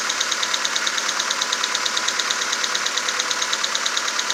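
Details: VW Golf 4 1.4 AHW, cold start: sharp light tapping about three a second over a quiet idle. It becomes nearly inaudible when warm, leaving a distant ticking and shuffling. Runs smoothly on 5W-40 Castrol Magnatec changed every 10,000; cause unknown.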